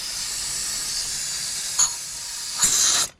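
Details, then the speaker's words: 2003-2007 Ford 6.0L Powerstroke, high-pressure oil system pressurized with shop air after repair for long crank: steady high-pitched hiss for about three seconds, then cuts off; air escaping at the test gauge fitting, engine side not leaking. "Yeah, it's leaking from my gauge. So, anyway, that sounds pretty good. I'm gonna give it full air pressure. Try to make it leak somewhere else. Yeah, it's just leaking from my gauge."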